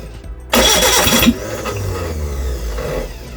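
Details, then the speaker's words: Reliant Regal Supervan 3 engine on workbench with rigged coil ignition: loud starter cranking about three to four turns per second, never catching; crank no start, two plug leads swapped. "close so close what am I doing wrong"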